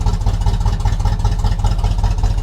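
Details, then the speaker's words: 1976 Chevrolet K20 3/4-ton 4x4 truck, V8 on restart; earlier ticking now gone, super smooth and quiet idle, though oil pressure has dropped to about 25 psi. "But now it's quiet. Super smooth, quiet engine."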